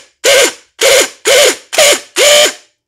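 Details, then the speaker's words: Troy-Bilt Storm 5024 snowblower, Powermore 208cc engine, JC170 starter bench-tested after a no-start: five half-second whirring bursts that spin up and cut out unevenly; it partly works, with a winding fault suspected, not confirmed; the starter was replaced. "something is just not right in there so it's partially working"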